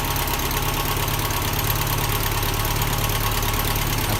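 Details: 1979 Toyota Corolla SR5 TE37, before tune-up (plugs, cables, cap and rotor, oil change): engine starts rough and idles with an uneven, lumpy, irregular beat instead of a smooth rhythm; cause not confirmed.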